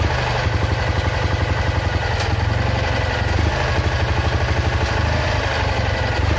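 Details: Citroën Ami 8 engine with a low idle thump, uneven beats and occasional stumbles. Points spark heavily, the plug spark is weak, it coughs through the carburettor, and the engine is hot. Owner is certain the failed ignition condenser causes the misfire.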